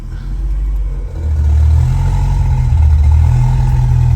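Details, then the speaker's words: 1979 RS Turbo with a 1986 SVO powertrain, cam swap and self-done tune: after a brief rev, a deep steady rumble settles into an even idle on its own with no misses. Normal idle. "there it goes and it'll just sit there and idle on its own"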